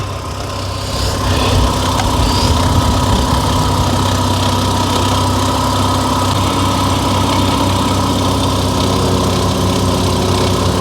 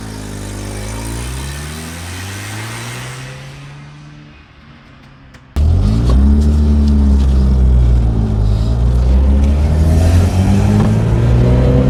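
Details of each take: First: 1983 Mazda RX-7, back running after 2 years sitting: loud, steady low drone with a slightly uneven, wavering beat at idle. The engine sounds like it is struggling and not wanting to catch. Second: 1983 Mazda RX-7 rotary on its first test drive after 2 years not running: a smooth rising drone pulls cleanly through each gear with no misses or loss of pull. It feels like full compression, so the apex seals seem fine despite the worry after sitting.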